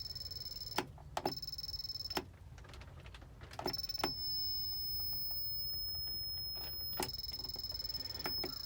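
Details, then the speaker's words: Harbor Freight 500 W PWM solar charge controller: a steady high whine over faint clicks that stops, restarts and changes pitch with each button tap. Owner suspects the controller is dying or reacting to low battery voltage. High-pitched tone from controller. "it's actually coming from the charge controller itself this is the harbor freight 500 watt uh pwm charge controller"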